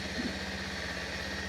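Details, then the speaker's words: Brand-new Kawasaki KLX 230 SM at 0 km, warming up at a fast idle: a coarse, rattly mechanical clatter over the exhaust beat. The owner finds it rough and noisy and has read it may be due to the engine's tuning, which is unconfirmed. "Ini motor suaranya agak lumayan kasar ya."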